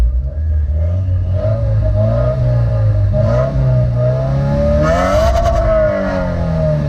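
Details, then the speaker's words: 2015 Subaru WRX turbo four: revs rise and fall smoothly with a short burst of crackling pops as the throttle closes; normal overrun crackle. "because one time I was driving around in my car and I realized that the exhaust crackles pops and that was the best day of my entire life"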